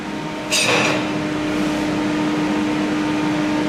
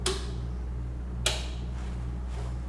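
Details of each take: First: Parweld XTM211Di multi-process inverter in MIG mode on 3mm coupons: harsh, uneven crackling arc with loud popping through the whole bead; heavy spatter and droplets from voltage set too high, before voltage was turned down. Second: Parweld XTM 211DI multi-process inverter welder, switching process modes via panel (AC, MMA, DC): two crisp single clicks about a second apart over low hum; internal relay changing over normally.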